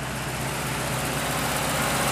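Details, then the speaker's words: Truck engine running on a homemade wood gasifier, idling ahead of ranch longevity and highway tests; even, steady idle with a smooth low rumble and no misses or surging; normal idle. "make sure it's running nice and strong but there it is folks"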